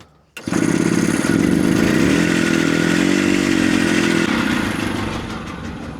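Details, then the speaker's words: 1970 Willam Fourgonnette micro van with a 125 two-stroke, first start after over 20 years parked: catches and settles into a steady, even, smoky burble. The idle is slightly low with the screw already fully up; it just needs warming. "It sounds great. Really good. Well, that is ace. We basically have a runner on our hands."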